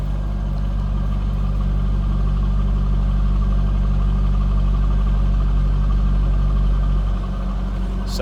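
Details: 2003 Chevrolet Corvette 50th Anniversary coupe V8 with 24,245 miles, heard from behind the car at the tailpipes. A deep, smooth, even burble with no misses, ticks or knocks; a healthy idle.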